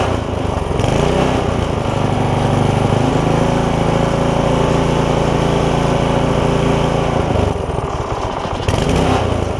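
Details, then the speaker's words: Barn-find tiller, bought 17 years ago and never used, first run after freeing the seized linkage: the small single idles fairly steadily with a faint occasional stumble, likely a gummed carburettor after long storage; oil full. "It even idles. Wow. I will let it sit here and run a little bit."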